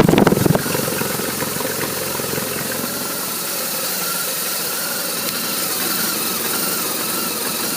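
After a brief start-up burst, the twin settles into an uneven, lumpy idle with irregular beats instead of a steady, even putter.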